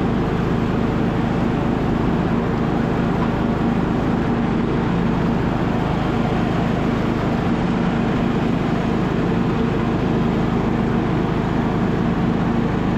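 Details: Abandoned MTD Bolens riding mower revived: engine restarted after fuel valve was found off, blades engaged; steady, even low drone with no misses, knocks or surging, running smoothly and sounding healthy.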